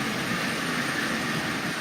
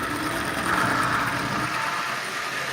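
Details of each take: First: Marx micro motor, modified with adapter, pulling 12 cars: steady even whirring hum with light wheel rattle, no surges or catches; normal running under load. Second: Marx micro motor fitted in place of the original motor in a Santa Fe model train shell, first test run. Thin fast whir with scraping as the larger drive wheels rub inside the shell; the original wheels were much smaller.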